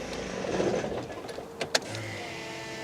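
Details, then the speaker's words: Cheap BMW diesel with rail pressure fault and glow plug faults, engine off after restart: steady electric whine and faint high tone from the fuel pre-supply pump, still noisy though the engine now starts readily. "that fuel pump is still pretty noisy but it seems to like fire right right up now"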